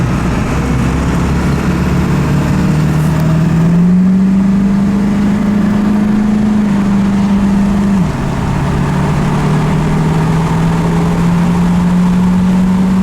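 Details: Ford F250 7.3 Powerstroke diesel, 100 hp performance tune, driving at about 15 psi boost: deep steady drone rising with speed, dip at gear change, pulling evenly; crisper and smoother than before; healthy under load.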